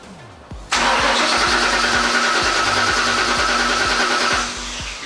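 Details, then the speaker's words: Ford ED XR8 Sprint at a small track: starter spins in steady, even beats for several seconds but never fires; cranks no start, no fuel pump heard, owner suspects the ECU. "Look, you can't hear the pump."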